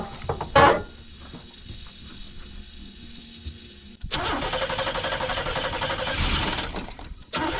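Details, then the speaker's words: 1990 Pontiac Firebird third gen, long sitting, fuel pump circulating: starter spins engine steadily for several seconds with even churning but it never fires; injectors suspected not working. "Sounds like our injectors ain't working right. Don't worry. It'll be fine."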